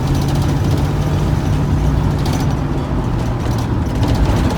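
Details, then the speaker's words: Dodge D150 truck with newly installed engine, first start before first test drive: starts right up and runs with a steady, even low rumble, no knocks, misses or rattles; running good. "It started right up. I might got some action. See what we're gonna do. Got some action. Running good."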